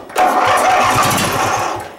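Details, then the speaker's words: Riding mower project, newly fitted battery: a short rough cranking burst nearly catches, then fades without running. It cranks but won't start; fuel pump or carb problems are suspected. "I think we're going to have it open. I'm going to have to spray it to get it fucking going."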